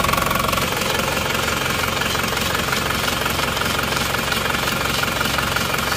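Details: Cold Isuzu Panther diesel idling after a morning start with temperature not yet up: rough, uneven knock around three beats a second, with smoke already showing. Compression measured only 15 bar, caused by a burnt exhaust valve. Engine coming down for overhaul and ring replacement.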